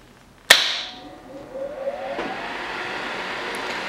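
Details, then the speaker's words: HVAC training board with a G-to-R jumper bypassing the thermostat: sharp single click of the indoor fan relay contacts closing, then the blower rising to a steady, even run; normal relay and fan start. "when i flip it on you're going to hear a click that's going to be this relays contacts closing and the fan is going to start"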